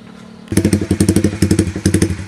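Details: Fuel-injected motorcycle with a Juken 5 BRT ECU, fuel map tuned at normal working temperature for a rumble idle around 1500–2000 rpm. It fires up into a lumpy, loping idle of heavy thumps with short gaps. Deliberate rumble idle from a custom fuel map.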